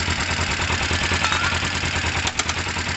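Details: Motorcycle idling, clutch switch in question; steady even putter about three pulses a second with no misses or knocks; low battery, dirty wiring or carb crud suspected of causing earlier faults.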